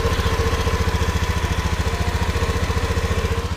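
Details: Honda Beat FI (K44) scooter engine, repaired less than a month earlier, idling without throttle; steady, even low thump and no rough rattle; normal idle.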